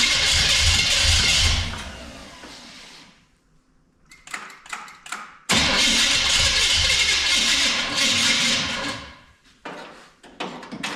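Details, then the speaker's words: 1966 Chrysler Newport convertible after sitting for years, cranking on a weak battery: two long bursts of harsh, loud whirring starter noise over slow, labouring turnover; owner suspects the starter needs a shim or is loose, cause not confirmed. "Battery's not liking it. The starter is loud though, isn't it? I don't like that neither."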